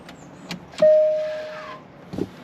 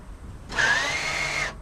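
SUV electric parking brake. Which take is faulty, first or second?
first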